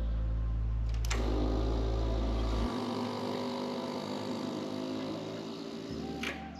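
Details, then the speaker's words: 1986 Yamaha FZ 750 carbureted four-cylinder at key-on, first start after a long layoff, powered by a jump starter: low steady buzz for about three seconds then cuts out, normal fuel pump priming. "l'espèce de vieux bruit de paix que t'entends, c'est la pompe à carburant."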